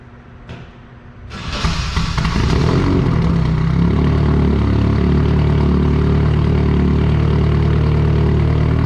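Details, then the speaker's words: Nissan 240SX S13 KA24DE turbo drift car, cold night start after earlier misfire: cranks, catches and settles quickly into steady even idle with no skips, warming up; running cleanly. "All right, we got the drift car out here idling, just warming up. It's gonna be a cold night."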